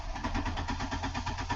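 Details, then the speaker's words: 1999 Ford Escort: the fuel pump inertia switch was smacked and its red button popped, killing the engine. Cranking gives regular whirring pulses, about five a second, with no firing. Crank-no-start because the tripped switch cuts the fuel pump. "so when i smack it you're gonna see the red button is gonna pop up here we go ready see that button popped up and the car's gonna die and now if i try and start it"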